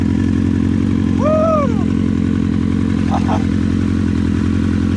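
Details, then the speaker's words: Honda CBR 1000 engine in off-road buggy on test drive: uneven, stumbling exhaust beat with irregular gaps, steady drone and brief whistle; engine sounds like it has a miss and lacks full power, cause unconfirmed. "Does it feel like it has a miss or anything? It sounds like it's definitely not running right. It sounds like it has a miss, like it's It's definitely not running full power, but this thing is finally drivable."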